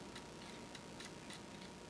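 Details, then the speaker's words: Amiga 1200 floppy drive after head cleaning and board repair, booting Workbench 2.1: quiet spinning hum with soft irregular clicks of the head stepping; nice and quiet seeking, though the shaft still needs regreasing. "nice and quiet of course you can still hear it"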